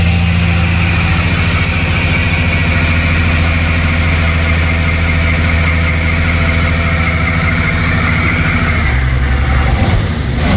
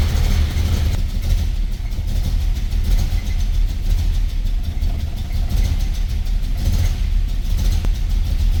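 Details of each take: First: 1978 Dodge Aspen 225 slant six Super 6, revived after eight years sitting, now firing on all six cylinders: smooth even idle, steady low drone, no skips or lumps; normal idle. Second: 1978 Dodge Aspen that sat for eight years, idling after its gooey old oil was treated with Marvel Mystery Oil. It is building oil pressure, but the deep idle is lumpy, with firing pulses dropping out. It later ran on all six.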